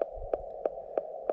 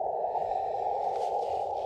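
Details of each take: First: LNR MTR4B radio on 40 meters, 5 watts, counterpoise and choke, paddle mode: steady mid tone with sharp pops about three a second; speaker audio splatter, absent on Elecraft K1 and KX2, cause unknown. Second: Elecraft KX2 receiving on 40 meters, 7.065, checked against an LNR MTR4B that pops: steady narrow mid hiss, no pops or crackles, two brief dropouts; normal band noise.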